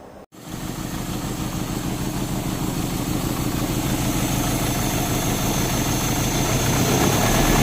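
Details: Euro-spec Mercedes 190E 2.0, 5-speed manual: catches after cranking, then runs with a rapid uneven pulse, building slightly; misfiring from a spark plug. Two plugs were pulled and cleaned, and one is thought completely fouled.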